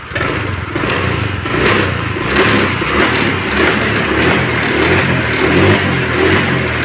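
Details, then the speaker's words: Vario 125 scooter with a complaint of weak, sluggish pull: small revs up and down cleanly with steady firing and no knocks; engine sounds normal, problem suspected in the CVT. "normal tidak ada permasalahan kemungkinan-permasalahan itu timbul atau datangnya dari bagian CBD"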